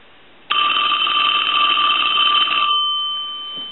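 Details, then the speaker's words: Western Electric Princess telephone, bell previously out of adjustment; continuous metallic ring thinning and softening as the volume adjustment, previously not working, is turned down; volume control now working. "now I'm going to hit the adjustment to soften the ring which was actually not really working before"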